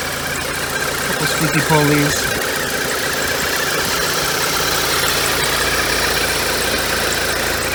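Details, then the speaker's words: $500 VW turbo Beetle, just started after battery revival, warming up: steady, even, quiet idle with a smooth rhythm and no knocks or rattles; runs well. "and quiet though all right well it sounds like it ran good"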